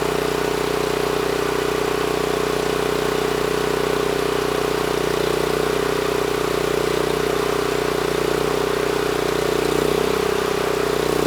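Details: NorthStar 8000 PPG generator with a 13 hp Honda GX390, refueled, governor throttle set screw adjusted to about 61 Hz (target about 61.5 Hz): steady single-cylinder drone at constant governed speed, no hunting or misses; normal run.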